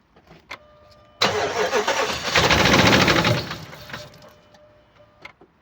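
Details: 2007 Dodge Ram 1500, 4.7 L petrol (EVC, 175 kW), 290,000 km, no compression in cylinder 1: cranks and catches, then an uneven lumpy beat with a dropped pulse from the dead cylinder.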